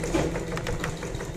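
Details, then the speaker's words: Sewing machine freshly oiled, belt refitted and run without thread or bobbin. A light, quick, even clatter from the stitching mechanism with no binding or harsh knocks: running freely and smoothly. "आता मी वादी घालून घेतली आहे दोरा राव बाब bobbing घालू नका आपण एमटी मशीन तशीच रन करायची आहे तर आता मी मशीन थोडी चालवत आहे"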